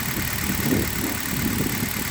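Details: Hyundai Solaris, cold idle after 2000+ km on Liqui Moly 5W30 and new coil wiring harness: steady, even low hum, no misses, shaking or jerking; engine runs smoothly.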